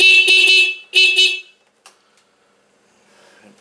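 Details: Scooter horn after loosening and adjusting its nut: two clear, loud honks, each a strong steady buzzy tone, horn working normally again.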